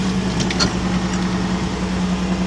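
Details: 2007 Nissan Murano 3.5 idling after muffler replacement, listened at the exhaust joints: smooth steady drone, no puffing, ticking or hissing; no leaks, exhaust sealed and normal.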